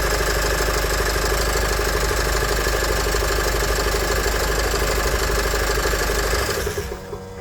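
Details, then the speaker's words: Nissan X-Trail 2.0 dCi diesel after replacing the accessory belt, tensioner and idler pulley: starts and idles with an even clatter and no belt squeal, then winds down cleanly at shutdown. The earlier start-up squeal is gone. "Donc voilà, c'était bien soit la courroie, soit le tendeur."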